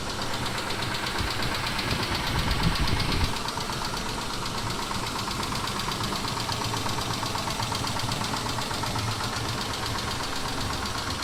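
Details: 2000 Mitsubishi Montero Sport, cold start: steady idle with rapid, uneven light knock fading after seconds; knock lasts about 3-4 minutes then disappears when warm, may briefly return quieter; owner says not like hydraulic lifters, cause unknown.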